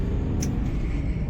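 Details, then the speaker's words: Volkswagen Polo after an engine oil change and replacement of the front right, front left and rear engine mounts: steady low diesel rumble with no knocking; the earlier knocking sound, also on the first-to-second shift under throttle, is now solved. "ഇപ്പോൾ യാതൊരു സൗണ്ടും ഇല്ല, solve ആയിട്ടുണ്ട്."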